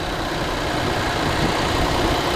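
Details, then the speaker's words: 2020 Infiniti QX60 3.5 L just started after replacing a bad cylinder 2 fuel injector that caused a P0302 misfire; warming up, even steady idle with smooth low rumble, no stumbles, no leaks — normal idle. "let it warm up a little bit let it idle down and uh let see what we've got everything sounds good I don't see no leaks"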